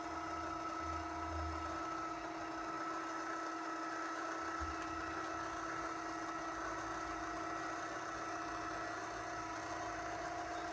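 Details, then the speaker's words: Litter Robot 3 after fixing a clicking noise by reseating the arms attaching the globe to the base, including the small rear lips: steady, even motor hum as the globe rotates through the usual click point, with no clicking. "this is usually where it clicks obviously need to clean out my kitty litter box all right no clicking this is great"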